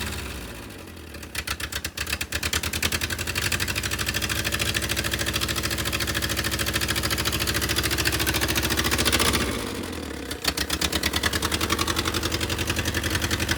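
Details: Willys CJ2A Jeep, first run, briefly with no coolant flowing: uneven, lumpy firing at idle with a brief rev and dip, then settling into a shaky beat, rough idle; owners say idle adjustment is off.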